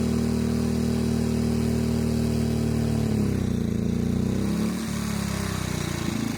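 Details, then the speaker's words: EcoFlow Smart Generator dual fuel model converted to natural gas, under about 1100 W load while the gas mixture screw is turned in: steady drone sags and stumbles as the lean mixture starves it, at about 6 turns out. "So you see right there, it kind of died off. So I'm probably about 6 turns out."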